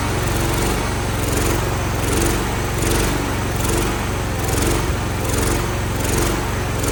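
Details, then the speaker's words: Revived Cub Cadet single-cylinder after WD-40 down a seemingly seized cylinder and starter-drive repair, old carburetor still on with a new one coming: a steady thump with a slow surge about once a second. Runs rough and smokes. "The starter, I had to work on the drive a little bit, but we're gonna start it up. It's gonna be a smoker, but she does run."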